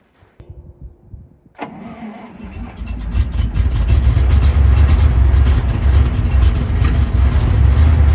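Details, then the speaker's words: Ural military truck cold start at −8°C, with fuel not coming up the lines; petrol was poured into the cylinders through the air-filter opening and the fuel pumped by hand: slow crank, stumble, uneven revs; hard cold start, fuel starvation. "Well, we know now that it's not it's not getting enough fuel. Let's try pumping it a bit and see if it helps."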